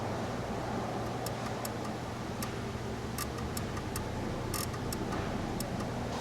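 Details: Ford Crown Victoria with no turn signals, while moving the connector: sharp uneven flasher ticks that come and go over a low hum; intermittent signal from a loose multi-function switch connector, poor soldering or butt connectors suspected.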